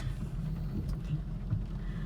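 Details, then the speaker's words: 2004 Honda Pilot after replacing the Bank 1 Sensor 1 oxygen sensor (P0132) with the check engine light not yet cleared; low idle with an uneven, lumpy, surging beat, still running rough; it ran fine once codes were cleared. "take the engine light still there and it's still running rough"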